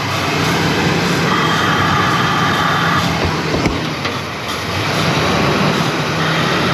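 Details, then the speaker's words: 1992 Ford Mustang LX 5.0 V8, parked for years: low, even, quiet idle with a soft steady rumble, no knocks or ticks; motor fires right up and sounds healthy; normal idle. "So quiet this motor is. But there we have it. This thing actually fires right up."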